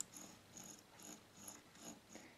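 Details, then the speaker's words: OR.M CS-PA1 mini amplifier volume knob: soft, crisp detent clicks about twice a second, each step distinct and even; the detent works here, though the cheap gear is worn and stops clicking in the lower volume range. "these kind of steps to go with the volume however the gear that that does those steps is made of cheap material"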